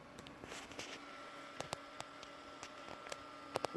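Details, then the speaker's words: First power-on of a retro Windows 2000 server build: a faint steady whine with soft ticks over an airy hiss; one exhaust case fan is noisy, likely defective from the factory, and will be replaced. "One of these fans is making quite a bit of noise. Yeah, that's a noisy exhaust fan, so we're going to replace that. Actually sounds like it's defective right from the factory."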